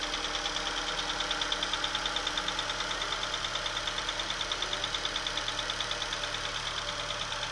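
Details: Opel/Chevrolet Astra engine at cold idle just after start, with a sharp, even tick about three times a second over the engine; cold-start ticking noise, cause not yet identified.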